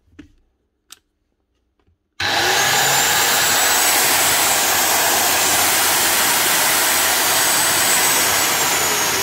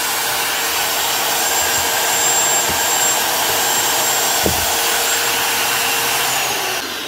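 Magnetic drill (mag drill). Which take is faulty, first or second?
first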